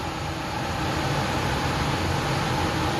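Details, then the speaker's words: Garage furnace blower after reinstalling the motor, mounted with metal straps: a smooth, steady rush of air with only a faint even hum and no droning or rattle. Normal blower operation. "alright guys we're gonna push the switch in oh yeah it's a lot better"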